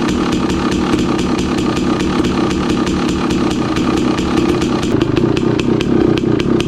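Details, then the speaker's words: 2016 KTM 300 XCW two-stroke, cold, choke off, after installing new starter: crisp, evenly spaced two-stroke popping about four beats a second holds steady after the cold start; engine healthy, starter fix working. "Cold. It's never done that before. It definitely turns over faster."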